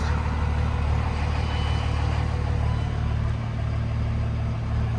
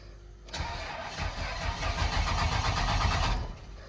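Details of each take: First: Older diesel truck after kill switch install, check engine light gone: even low diesel rumble at a steady idle with no knock, miss or surge; normal idle. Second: Truck with a hidden kill switch flipped, disabling a system needed to run, and the check engine light on: the starter cranks steadily at about four turns a second for three seconds, never catches, then stops.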